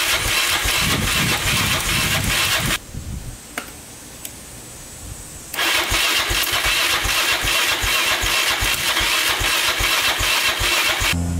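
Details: 2002 Yamaha Raptor 660 single after timing chain and bent valve replacement: starter drags slowly about two and a half turns a second, pauses, cranks again, never fires; charger not spinning it fast enough.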